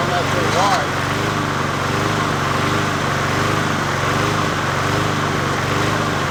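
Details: 20" Murray push mower #20201D, first run after straightening its wobbling crankshaft and cleaning: the small single-cylinder engine holds a steady, even beat with no knocks or misses and sounds reasonably healthy; the owner notes it could be low on gas.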